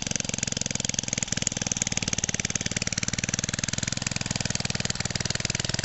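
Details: 1969 small single-cylinder engine, roughly 1.5–2 hp with magneto, sat for ages and revived: crisp, regular beat at about twelve pops a second, even and steady with no misses; running well.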